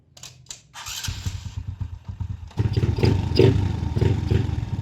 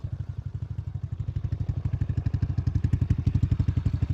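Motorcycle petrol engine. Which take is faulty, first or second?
first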